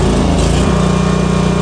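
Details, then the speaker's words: Northstar 10,000 PPG 10 kW auction generator, unknown condition, running on bad gas with a dirty carburetor that needs cleaning: the small engine labours and stumbles, then drones on with a slightly lumpy beat. Rough running, likely a fuel problem. "Just let it run with that bad gas for a while."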